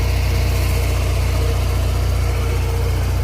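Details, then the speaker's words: TM Square turbo Suzuki Swift ZC31S, JDM: steady, even idle thrum with a smooth low pulse, no knocks or ticks; runs well mechanically and isn't overheating, with no signs of mechanical damage; normal idle. "it seems to run good mechanically it's not overheating showing no signs of any real mechanical damage"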